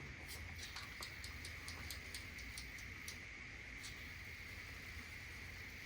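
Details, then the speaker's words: Traxxas Bandit RC car steering servo after saltwater exposure, full sweep test: sharp ticks about four a second over a steady whine on the return sweep only, smooth the other way; possibly stripped or broken gear tooth, unconfirmed. "but yeah you can hear it ticking on the way back there's no ticking the other way forward"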